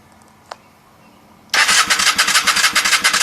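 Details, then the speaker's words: 1994 Honda Shadow VLX 600, spark plugs and cables checked fine, in neutral with kill switch on run: starter churns evenly three or four beats a second but never catches; cranks but won't start, cause unknown. "we're going to try to start it as you can see it doesn't want to work the doesn't want to"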